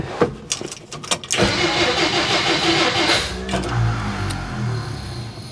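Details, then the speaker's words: 1957 Plymouth barn find parked over 20 years, spark confirmed, starting fluid added to offset rotten fuel: steady cranking, then it catches and roughs along a couple of seconds before fading. Fires briefly but won't keep running; owner plans to drain fuel tank. "No. It's trying. It's trying. We got to disconnect the fuel supply."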